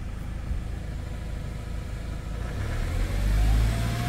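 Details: Hyundai Starex diesel with a no-start problem, after a scanner-guided repair, starts and idles evenly with a steady low clatter, then picks up smoothly with a bit of throttle; sounds healthy.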